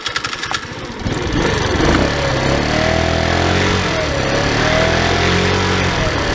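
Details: Tao Tao scooter at almost 3,000 km, running with the stock airbox filter refitted after a cone filter felt slower: revs up and holds a steady buzzing drone with a light wavering whine, running normally.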